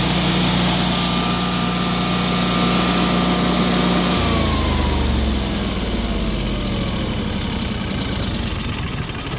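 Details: Generac 22K Guardian air-cooled propane standby generator, manual start after the faulty LP regulator was dealt with: fires up, brief shift at four seconds, then a steady even hum with no stumbling; normal running.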